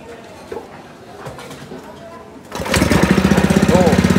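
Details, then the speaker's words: 17-year-old spice/meat grinding machine after replacing its worn grinding stone, previously very noisy from the bearing: engine catches and settles into a steady, even thump about three a second with no grinding; now runs smoothly. "suaranya halus Padahal kalau dipikir-pikir mesin ini Sudah 17 tahun"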